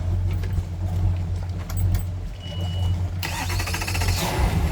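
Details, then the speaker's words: Boat engine on a lift after starter repair: fast crank, catches quickly and settles into a steady, even low rumble with no misses or knocks; starts and runs normally. "it sounds good fast crank one more"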